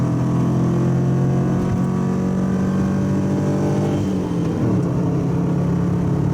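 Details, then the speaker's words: Subaru wagon daily driver, in-cabin at freeway 100 km/h, 3,000–4,000 rpm full load: deep steady boom from a fiberglass-packed X-Force straight-through muffler, before swap to a Lukey Turbo muffler. "I've been driving this car for about 18 months as my daily driver and getting sick of the noise from the muffler that's in it at the moment. It's a X-Force straight through muffler."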